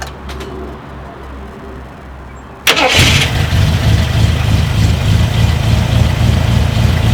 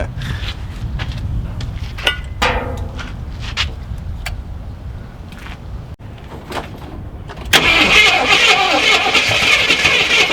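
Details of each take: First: Long-sitting Jeep Cherokee Chief with a fresh oil change, a charged battery and float bowls filled with gasoline: the starter cranks briefly, then it catches and settles into a steady, even idle with no knocks or misses. A healthy start. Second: Long-stored Jeep Cherokee Chief V8 on first start attempt, gas suspected bad and tank nearly empty, oil pressure showing: quiet clicks then long steady cranking that never fires; cranking no-start from fuel starvation.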